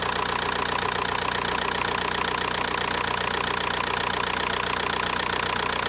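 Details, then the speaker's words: VW Bora 1.9 PD diesel at idle after timing kit replacement: steady clatter with an uneven rattling beat and engine vibration. Suspected worn clutch damper (dual-mass flywheel); unconfirmed. "There was this noise and a vibration in the engine, but this is, as I suspected, from the damper on the clutch."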